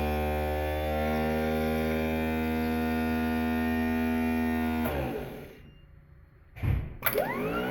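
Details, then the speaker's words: Rebuilt 1940 Packard starter bench-tested with a foot switch working the solenoid and Bendix: steady, even electric whine at constant speed for about five seconds, then a quiet coast-down; the starter runs properly. "Okay, now we're going to do a little live demonstration so you can hear and see what it looks like when it's running properly."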